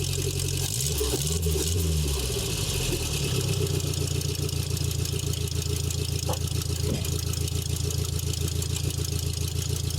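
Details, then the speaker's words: 1984 Nissan 720 pickup, Z24 carbureted four-cylinder with 8 plugs and 2 coils, started cold just after replacing possum-chewed spark plug wires: steady, even idle with a smooth low rumble and no misses, knocks or stumbles. Normal idle. "I did not start it up this morning, so we'll be starting up cold. Looks good. Sounds good."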